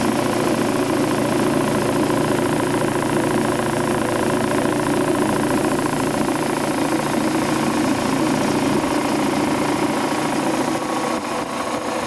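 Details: Quincy Model 325 compressor with rebuilt lower end and new starter, pump on the tank. Inspection plate and shims were siliconed against water ingress. Test run at 18-20 psi oil pressure: steady, even pumping chug, no knocks or rattles. Normal running.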